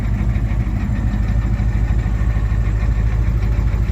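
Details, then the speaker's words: 1987 Ford F-350 diesel after sitting 8 months, restarted on its own without boost: steady, even low rumble at idle with firm regular beat, no misses or knocks; wiring issues noted. Normal idle. "It runs. It can fire up on its own without being boosted. There's definitely some issues with the wiring though."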